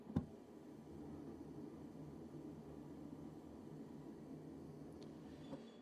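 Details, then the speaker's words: Roughly 20-year-old Comfortmaker furnace after its loud draft inducer was replaced. The new inducer runs with only a low, quiet, steady hum and no rattle, wobble or bearing growl. "that's what a new inducer sounds like. Definitely a lot quieter on"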